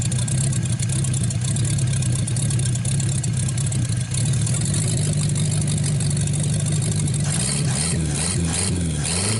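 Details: 1949 Buick straight-eight, first start in years, restarted after cooling down and refuelling: smooth, even low idle with no knocks or misses, revs rising and falling cleanly on throttle blips; runs really good.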